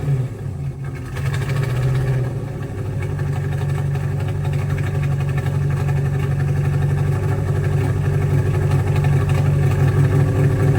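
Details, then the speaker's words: 283 small-block Chevy swapped into a 1985 Oldsmobile Cutlass, first run in shop after exhaust hung: lumpy idle with uneven stumbling pulses and skips through odd-sounding exhaust; engine was missing and at times hesitated to pick up. "blatantly obvious but also not cuz the exhaust tone sounds really weird on this car for it being a full Master kit so it definitely sound like it was missing"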